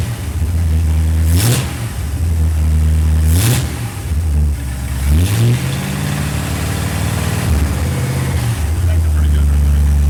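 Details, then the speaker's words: Restored Ford Galaxie 500 V8, initial timing about 10 degrees, then 15 initial, 36 total; even idle then three quick clean rev blips settling back: normal running. "look it sounds pretty good pretty good"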